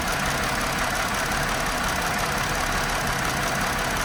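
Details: 2018 Chrysler Pacifica after battery replacement: normal idle for about 25 seconds, then a loud, uneven, chuffing rough idle. Code P0300 multiple-cylinder misfire; cause unconfirmed.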